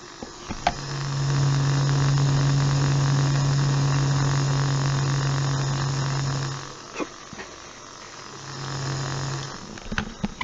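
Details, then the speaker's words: Dollar Tree fan version 2.0 motor run on 3 V with its grease removed, overheating until the blade housing melts: steady low hum with no rise in speed, cutting out and returning as current climbs; motor energised but seized, stalled in its melted housing. "now the chef has actually gotten so hot that it's melty the inside of the fan or smelling the inside of the blade housing so yeah you can actually hear it trying to spin inside"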